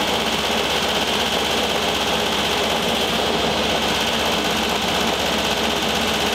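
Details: 1973 VW Thing Type 181 that sat for years, air-cooled engine running steadily: an uneven rustling scrape over the fan roar. Owner feels the noise is in the fan and plans to remove the belt.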